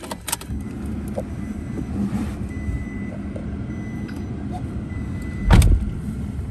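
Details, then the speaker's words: 2017 Toyota Hilux SR 4x4 double-cab ute, one owner, 78,000 km: engine catches cleanly and settles into a steady, even low rumble with no knocks or misses; normal start and idle. "Perfect. Sounds nice too."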